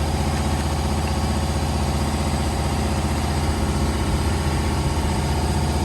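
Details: 2015 Holden/Chevrolet Captiva after replacing the faulty exhaust camshaft solenoid (old 1 megaohm, new 10.9 ohms) for code P0013, DTC cleared; even, steady low idle with no ticking, hunting or misfire; normal idle.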